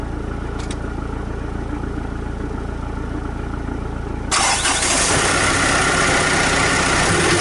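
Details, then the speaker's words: Rebuilt diesel truck after 8–9 weeks of work; first attempt failed: even starter churn about four beats a second, then catches and runs loud; extended cranking, slow start. "First attempt failed. Might as well crack the injectors whilst I make that."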